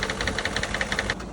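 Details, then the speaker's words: Newly bought V8 VW Touareg with a worsening, rough idle and sharp rapid ticking that speeds up with rpm; owner suspects knock and possible timing problems, thinks rod knock would be louder; engine knock at idle. "something that could potentially be knock uh and it does speed up with RPM which is a very bad sign very very bad"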